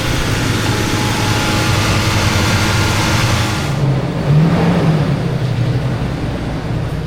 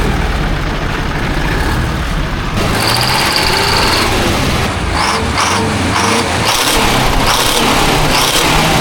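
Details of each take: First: for some reason when you disconnect the battery on this truck, it idles really high for quite some time before it learns everything. It doesn't normally idle that high, even when it's cold. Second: 1972 Diamond REO C116, 8V71 diesel revived after about 20 years sitting, straight pipes: loud open-pipe rumble, lumpy slightly surging beat with air hisses, all eight cylinders pulling evenly. Normal running.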